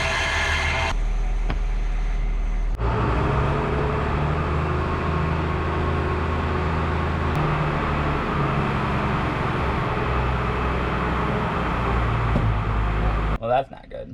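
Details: Tractor engine drones steadily with a rough, gritty grind as the PTO tries but fails to engage; cover to be split for inspection.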